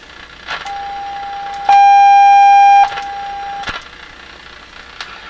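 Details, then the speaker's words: Sony TR712 transistor radio under repair for poor sound, test tone injected at output transistor base: steady clean, undistorted mid-pitched tone; output stage fine, so the fault lies earlier. "hot dog that sounded fine what that tells me then is what is getting to the base of that transistor is not a nice signal that we can listen to from the radio"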